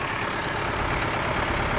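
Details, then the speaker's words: 1994 Toyota Dyna 4x4 diesel fire truck, 6,780 km, 24 V system, heard from outside by the fuel tank with engine running: steady even diesel clatter at idle, smooth low rumble, no knocks or misses; healthy idle. "so let me step out with the engine running so you can hear that this is your fuel tank"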